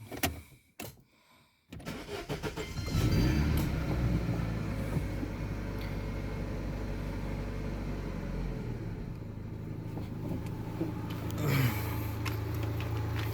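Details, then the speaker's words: Daewoo Lanos 1.6, brought in with engine knock and misfire, after repair and exhaust corrugated pipe welded: starts and settles into an even, steady idle with no knocks, ticks or misfire. "В общем, вот так вот ровненько, красивенько работает двигатель, без посторонних звуков, без посторонних шумов и без всякого троения."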